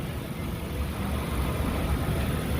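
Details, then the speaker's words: 2002 Lincoln Continental 4.6 L 32-valve V8, no codes: low idle rumble with an uneven hiccupping beat, stuttering at idle and just off idle in gear; the intake tube had come off the airbox at the mass airflow sensor, fixed by reconnecting it. "it was it was hiccupping just enough at idle um idle and and just off idle just when you put in the gear and you're not even driving yet it sit there and stutter and hesitate some"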